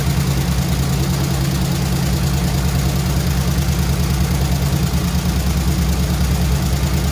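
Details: Squarebody Chevy C20 V8 with flat-tappet lifters, idling after rocker readjustment, metal found in oil: rough low idle with loose uneven ticking about three per second; lifters suspected not pumping up, replacement planned.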